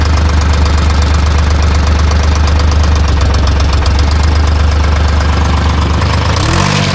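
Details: Timberjack skidder, freshly rebuilt Detroit Diesel 3-53, owner reports missing, loose fan belts: heavy drone with ragged stumbling beat, revs change near end; fuel starvation.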